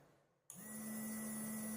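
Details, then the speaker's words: Homemade automatic liquid soap dispenser with IR sensor and relay module: hand at the sensor switches the green relay light on and the small pump settles into a steady, even, clear hum, working normally. "Pump की आपको आवाज भी आ रही होगी, green light हमारी चालू हो रही है। पंप को आपको पास करके दिखाता हूँ, इसकी साउंड सुनना, इसकी आवाज भी आएगी पंप की।"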